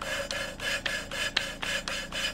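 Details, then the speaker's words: Hand lapping a valve on a cleaned cylinder head: loud, gritty rasping strokes about three per second after lifting and re-seating, fresh abrasive cutting the seat again; sound fades as grit wears out. "Quand il commence à baisser en intensité, c'est qu'il n'y a plus de grain pour gratter. Donc il faut soulever et recommencer. Et tu vois, le bruit est plus fort."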